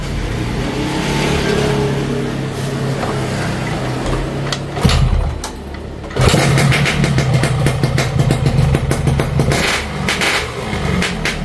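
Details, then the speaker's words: Yamaha RX King two-stroke after repairing loose magneto (flywheel magnet re-riveted), which earlier wobbled slightly and made engine sound rough: settles into even, steady idle after a blip, no wobble or clatter; much smoother now. "Oh beda kan Adam suaranya sekarang n teman-teman sudahah dengar ya suaranya beda jauh ya sama yang kemarin magnetnya goyang walaupun cuma sedikit"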